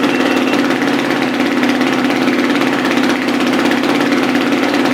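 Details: Dirt bike engine just rebuilt with a new piston, first start with higher compression and no oil pressure yet, so it is very tight: fast, even idle with a steady beat and no knocks or misses; idle expected to rise on its own.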